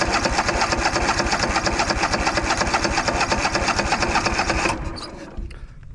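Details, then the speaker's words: Craftsman DYS4500 riding mower, 26 hp Craftsman Courage engine, sat over a year; cranking with throttle and choke after priming with gas: steady chugging crank about two beats a second that never catches, then stops; fuel starvation, no fuel reaching carburettor. "Well, we have nothing yet. Well, I think we're just going to give her a little taste of gas again for like the millionth time."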